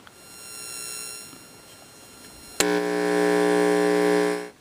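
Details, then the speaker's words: Homemade DERB PTR AF-RF signal tracer, quick test while unfinished; steady low buzzing hum comes in sharply, holds evenly about two seconds, cuts off; quite a bit of hum, very sensitive; cause unknown. "Quite a bit of hum there. Sensitive, very sensitive."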